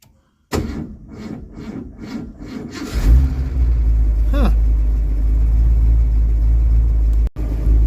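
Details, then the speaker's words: 1982 Ford Mustang GT V8, warm and heat-soaked, with a history of hard hot starts and three alternator voltage regulators. The starter drags through about five slow, labored strokes before it catches and idles; it starts fine with jumper cables. "you can hear how labored that is which is ridiculous"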